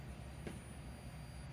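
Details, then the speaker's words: Toshiba 430CDT laptop, LCD backlight inverter taken from another panel: thin steady high-pitched squeal over low rumble; backlight stays on but inverter screams, blamed on a capacitor, to be swapped from the other board. Backlight inverter whine. "But you can hear it screaming."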